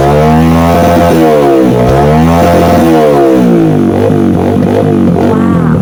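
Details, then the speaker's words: Yamaha XTZ125 that still misfired after a new CDI, rectifier and wiring harness, after adding a fused constant 12 V supply to the CDI: single cylinder pulls cleanly through repeated rev sweeps with no stumble or misfire; normal revving. "Yan lang po ang kanyang problema mga kabuting thing and naglagay lang tayo ng fuse para mapasukan ng 12 volts yung ating cdi para kapag nag-high rib tayo may constant supply siya na 12 volts"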